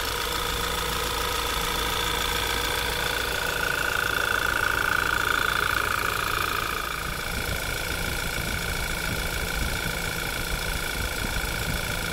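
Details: Audi 2.0 TFSI cold idle, two minutes after start: a steady high-pitched whistle over fast, even ticking that swells then eases. Source can't be pinned down by ear.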